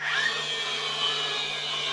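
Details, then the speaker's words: DeWalt battery flywheel-design nailer: high, steady whine holding pitch about two seconds with no grinding; sounds like it's dying but it's the normal flywheel spin-up sound of this tool, and it works. "listen, it sounds like it's dying, but that's just the sound these things make. It works."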